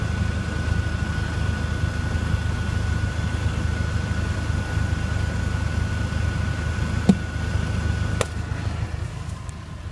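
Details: Mk4 VW Jetta 1.8T at idle: steady idle with two sharp, isolated pops about a second apart, an infrequent popping heard from under the car; intermittent popping noise at idle.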